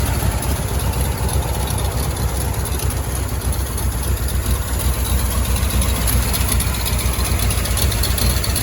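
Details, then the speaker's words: 1971 Ford F250 Highboy, overhauled engine with aftermarket cam, cold and warming up: deep uneven choppy idle rising and falling about four times a second; expected to smooth as it warms; lopey idle from performance camshaft. "she's gonna be a little bit lopey because it's got a cam now but we'll get her set just right"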